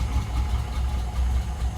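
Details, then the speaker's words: Mercedes gullwing freshly started after sitting, on a jump pack and fresh fuel: chuffing, lumpy idle that keeps dropping a beat, running on 5 of 6 cylinders. A fouled plug is suspected, and the plugs are to be changed to BP5s. "Okay. I think we're running on 5 out of the 6 cylinders."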